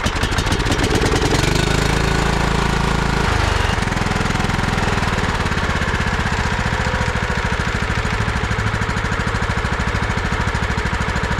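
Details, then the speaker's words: 2001 John Deere LT133 lawn tractor, 13 hp Command engine, 5-speed, 38-inch deck. It had no crank at the key, so the solenoid was jumped and starter spray used; a loose solenoid tab was found. It fires and keeps a steady, even thump: a healthy runner. "But how about that, guys? That's a runner. This thing's pretty comfy."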